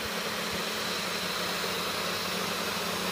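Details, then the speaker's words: 500 W air-cooled ER11 CNC spindle at full speed: steady high whine, low hum and fan rush, even; the tool barely warms up; running smoothly. "Alors là, je suis pas à fond. Hein. Là, je suis à fond. Ça fait une puissance sur là."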